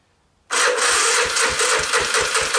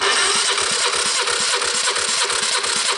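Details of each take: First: 1986 Honda TRX250 with low compression, a weak electric starting system and a new starter and gears, choke on, using starting fluid, first try: slow, labored cranking at about four beats a second that never catches. Starter sounds bad. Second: 1986 Honda TRX250 with new starter and starter gears, before startup: even cranking at about three strokes a second, no firing; compression reads about 120, healthy enough to start.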